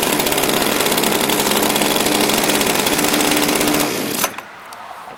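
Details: Redmax CHTZ2460L two-stroke hedge trimmer, new fuel filter and spark plug, air filter ruled out; buzzy high rattle holds a few seconds then sags and cuts out on throttle: stalling from faulty carburetor.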